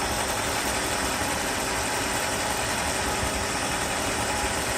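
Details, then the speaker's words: 1994 Mercedes S420 V8 idling smoothly after repair, no longer misfiring; steady even idle hum under loud fan noise, no misses, stumbles or shake, cigarette pack stays on engine cover; runs pretty nice. "Pretty nice."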